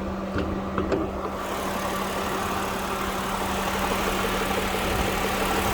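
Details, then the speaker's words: Salvage car: the petrol engine idles with a busy, uneven, aggressive metallic rattle over the hum, which the owner thinks comes from the head. "something's rattling something is rattling quite aggressively"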